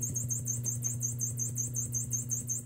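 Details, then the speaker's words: 1974 Fender Super Reverb, new preamp tubes, needs cap job: steady hum with faint regular tick about six per second in the vibrato channel only, rate changing with vibrato speed, not intensity; owner unsure if normal vibrato tick or another fault. "the issue i'm concerned about is in the vibrato channel there's that it it's almost like the ticking that's a very common problem but obviously vibrato works and just the same way that the ticking happens it changes with the speed"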